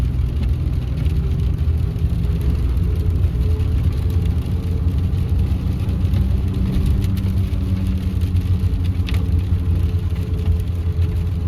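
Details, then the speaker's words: 2016 Ford F150 2.7L twin-turbo 4x4 with recently rebuilt rear end, cruising: faint steady mid-pitched whine over road noise, felt in the gas pedal, not mud tires; found to be failing front 4WD actuators, earlier blamed on wheel bearings. "It kind of sounds like a gear whine, or maybe a little bit like a mud tire whine, but it definitely is not."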